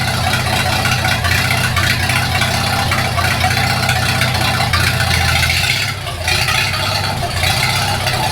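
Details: 1942 Farmall H tractor after transmission repair (scraping/screeching, hard shift from reverse): loud, low, steady thrumming that holds speed without stumbling; runs properly with carburetor not yet adjusted.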